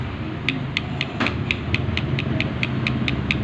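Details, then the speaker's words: Engine at idle, noisy, with sharp metallic knocks about four per second over a steady rumble; diagnosed before teardown as a failed connecting rod bearing (rod knock), to be repaired and reassembled. "Sira yung bearing niya dito sa ano. Connecting rod bearing."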